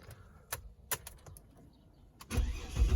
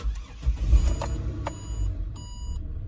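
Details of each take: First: Ford Territory 206 model after a collision: starter turning the engine steadily about three times a second, never catching; crank no start because the fuel inertia cut-off switch tripped, fixed by resetting it. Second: Ford Territory that cranked but wouldn't start after a collision, now starting after resetting the tripped inertia fuel cut-off switch: brief crank, catches at once, steady low idle; clean normal start.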